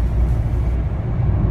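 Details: Skoda Yeti 2.0 TDI driving after front wheel bearing and brake pad replacement: only even road rumble at speed, no growl or hum; right-side noise and vibration earlier heard from 60 km/h is gone.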